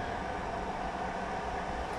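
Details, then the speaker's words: Newly installed diesel air heater in a shed, battery powered: fuel pump switched off, heater in its normal cool-down, a steady airy fan whoosh with a faint constant hum and no ticking pump. "And then you can hear the fuel pump is switched off, and now it goes through its cool down sequence."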